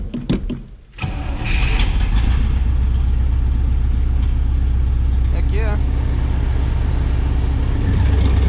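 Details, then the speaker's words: 1972 Chevrolet Nova SS small-block V8 on an auxiliary electric fuel pump with fresh fuel: fires after brief crank, steady idle with slight occasional misfire; owner suspects worn spark plugs, Berryman's treatment helped somewhat. "just like that fired right up island nice and smooth got a little bit of a misfire to it"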